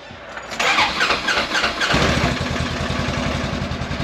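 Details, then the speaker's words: Small old machine, unloaded in a parking lot before going to a shop: brief crank, catches in about two seconds, settles to a steady even idle; engine sounds fine. The problem is instead a noise possibly from a belt, and a reverse chain noise. "Did y'all hear that? Sounds just fine. Nothing wrong with the engine, crackhead."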